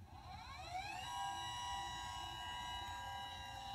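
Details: Celestron CGX mount with Edge 1100HD at power-on initialization: motor whine climbs in pitch for about a second, then holds a steady even tone; right ascension axis slewing normally, while the declination axis motor never responds.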